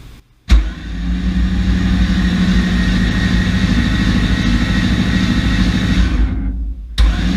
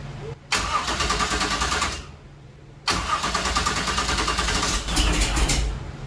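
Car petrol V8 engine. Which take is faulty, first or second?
second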